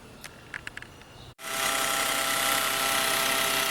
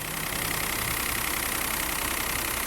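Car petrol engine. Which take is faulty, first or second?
first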